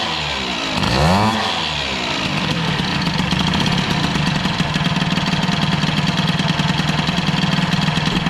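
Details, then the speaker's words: Peugeot 103 moped with air-cooled Airsal 65 scooter cylinder; quick start then burbly, slightly uneven two-stroke idle with soft lumpy beat; running rich, mixture screw found wide open and being closed. "c'est du riche donc on va refermer un petit peu la richesse"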